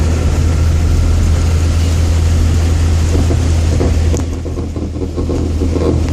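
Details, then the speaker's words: 2001 Chevrolet Corsa Wind: a loud low drone and rumble from underneath the car, with a rough patch midway. It happens whenever driving through a water puddle, lifting off the throttle quickly, or accelerating hard; the cause is unknown. "Ese es el sonido que hace en la parte de abajo de mi auto, Chevrolet Corsa del 2001, Chevrolet Corsa Wind del 2001. No sé debido a qué es, que lo provoca. Siempre que paso por un charco de agua, emite ese sonido."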